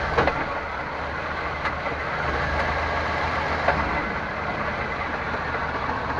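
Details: 1998 Chevrolet Suburban K1500, 5.7L V8, 4L60E automatic, 177k miles, in 2WD: steady idle with a few separate dull clunks shifting between park and drive; owner also hears clicks uphill; cause unknown.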